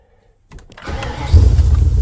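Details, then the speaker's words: 302 V8 cold start after recent first fire-up, tailpipes off, about half an hour total run time: brief crank, catches immediately, strong even deep rumble; clean cold start. "That's cold start, boys. That is the cold start on this thing. I just hit the key. No word of a lie, that's the cold start. I'm bloody impressed with this thing. Oh, it's got a nice rumble to it."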